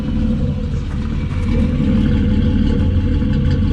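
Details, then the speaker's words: BMW E28 with swapped M50 engine, first start; loud, deep, uneven idle with a wet stumbling beat, running rich and slightly drowning, owner believes an unconnected O2 sensor keeps it from adjusting fuel; housing crack leak noted. "it's quite loud but it's running quite rich you can hear it's like a little bit drowning a little bit and I believe it's because there are two sensor isn't connected and so it's not adjusting the fuel"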